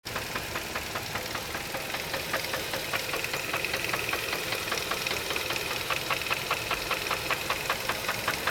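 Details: 2002 Chevrolet Cavalier: petrol engine idles with a steady, sharp knock repeating about two to three times a second; cause unknown.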